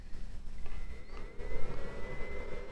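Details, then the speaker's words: Fnirsi IPS 3608 AC/DC digital power supply, outputting only about 0.13 W at 1 A constant current: soft whir rising to a steady high-pitched tone as the internal cooling fan switches back on; smooth, normal fan running despite the low load. "And the fan has just switched back on again."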